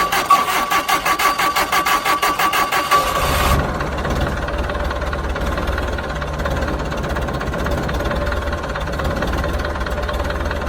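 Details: Hesston 620 swather diesel, sat about 10 years, fuel pump hooked up and throttle set; quick cranking pulses for about three seconds, then it starts without ether into a steady, even idle with no knocks or misses.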